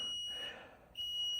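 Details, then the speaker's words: Basement water heater beside a newly installed HVAC system; two long shrill high-pitched alarm beeps with a short gap, no flash codes found, cause unknown: water heater alarm beeping. "Something's got to happen on this. This dadgum beeping's got to stop."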